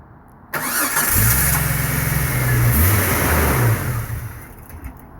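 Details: 1999 Jeep Cherokee no-start, problem worse after a new PCM: starter grinds the engine over steadily for a few seconds but it never catches or fires.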